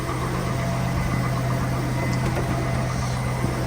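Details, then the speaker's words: GMT800 Tahoe/Yukon/Suburban LS V8 just restarted after fuel pump/no-fuel-pump repair: low steady idle with light knock, the normal LS piston slap; no leaks. "It's the normal piston slap from the LS engine."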